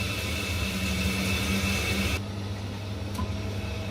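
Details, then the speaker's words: Ideal Independent C24 combi boiler after F1 fault fix by refilling water, firing for hot water: steady low hum with faint even tone, then slight drop; hot water working normally. "the gas bars open they're not lit it's got the hot water working as well"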